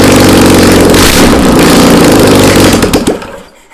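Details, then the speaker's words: Old VW Beetle engine sat about two years, on a start stand, fuel squirted in by bottle: cranks, catches briefly with rough uneven roar, then dies within seconds; not enough fuel. "All right. We didn't have enough gas in it, guys. Let's add some more."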